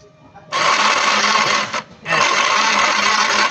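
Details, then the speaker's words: Yamaha NMAX scooter with low engine oil, cranking with the belt-side cover, pulleys and belt removed: two harsh, rasping whirring bursts that sound the same as before the teardown point to a noisy starter motor. "แล้วก็ทำการติดเครื่องใหม่ก็ปรากฏว่าหลังจากเราถอดชุดข้างออกไปเสียงยังดังเหมือนเดิมป่าครับ"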